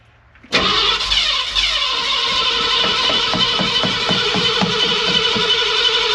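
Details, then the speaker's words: 1966 Ford F100 started after sitting a long time, with a knockoff 2100 carburetor barely tuned and new 2.5-inch stainless exhaust from the headers back: it fires hard, then runs with a sharp, fast ticking puff about four times a second, an exhaust leak. "but it seems fine I mean is it you know I haven't put much quote tuning into it but I got an exhaust leak too"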